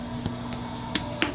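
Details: Gold Medal 2620D-2622 Karamel King Mark 20 cooker mixer, 240V, on rolling truck with left-hand dump, relay cycling the heating element and motor while hot: steady even electrical hum with sharp switching clicks as the heater cycles; running normally.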